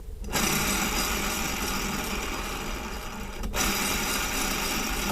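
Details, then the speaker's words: 2018 Ram 3500 G56 manual transmission, clutch out: throw-out (release) bearing spun by hand gives rough, gritty grinding whir; clutch not really worn, pilot bearing not failed; worn release bearing. "the pilot bearing i would like to replace even though it hasn't failed yet but the throw out bearing is terrible listen to it"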